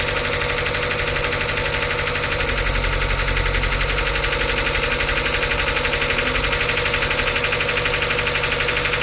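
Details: NA Mazda Miata 1.8L, first start after reinstalling cleaned hydraulic lifters and reassembling: heavy, fast metallic lifter clatter at idle, diesel-like; restart and throttle blip tried to quiet them.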